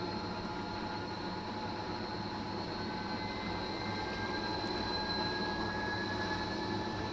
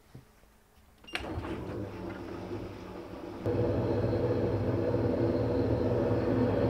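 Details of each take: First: Fisher & Paykel direct-drive top-loader washing machine after replacing the main drive bearings (6005 2RS) and shaft seal: smooth, steady whir rising as the drum spins up, no grinding or rumble; bearings sound healthy. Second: Fisher & Paykel direct drive top loader washing machine, long-serving: clicks on then a loud coarse rumble growing heavier, worn main drive bearings (6005 2RS); fix is replacing the drive bearings and shaft seals.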